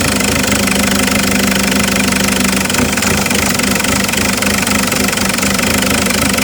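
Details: Isuzu 4JX1 diesel idling unevenly with a loose, irregular clatter about three or four beats a second, checked with Tech2 stats; rough idle, cause not pinned down.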